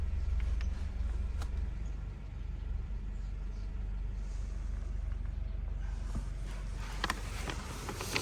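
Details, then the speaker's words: Honda Civic just after exhaust repair at a muffler shop: low, even engine drone with no rasp or blowing, just a soft steady hum; exhaust now sealed and quiet. "all right y'all the exhaust is done let's take a look at this and see how well they did with the exhaust it's like a brand new car y'all hear how quiet that"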